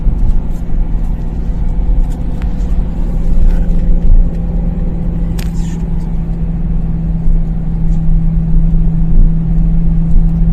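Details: BMW M3 E93 V8 at idle with a deep rumble that wavers and stumbles unevenly instead of running smoothly: engine misfire.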